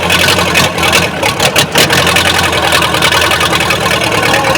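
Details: Backhoe that sat sunk underwater for seven months, first run after recovery with fuel turned on: loud steady diesel rumble, fairly even beat, no knocks or misses; normal diesel idle.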